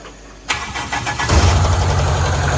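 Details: Toyota KE30 Corolla, start after fuel pumps primed; a short crank, then the engine catches right away and settles into a steady even idle: normal engine start.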